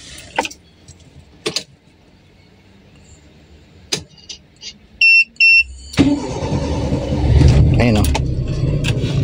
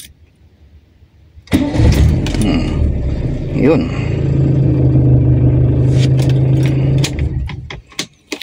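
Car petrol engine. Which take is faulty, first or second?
first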